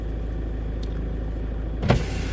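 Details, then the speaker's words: Volvo passenger window motor run via an iCarsoft CR MAX actuation test from the passenger door module. Steady even motor hum moving the glass, then a soft thunk at the stop; normal power window operation. "You probably heard that there, so that we know that the motor is working. We go window up, hear it again, there we go."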